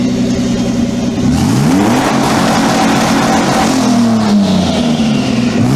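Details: Twin-turbo Mitsubishi Triton, 3.0L 6G72 V6 on new ECU: pitch climbs smoothly and quickly with no hesitation, holds briefly at the top, then falls back; revs freely and cleanly.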